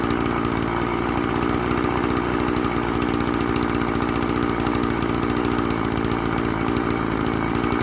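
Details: Old Stihl FS 36 string trimmer, sat 2+ years, after a new primer bulb and carb tuning: small two-stroke buzzes at a steady, even pitch with no stumbling or surging; runs good and restarts warm.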